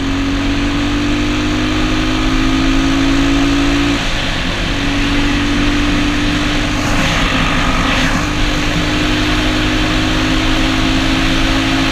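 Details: Honda XR200 single on its first test ride after a full transmission rebuild and other new parts: steady, even drone under way, pitch holding smooth with a brief dip and recovery; runs healthy, rider says everything felt smooth.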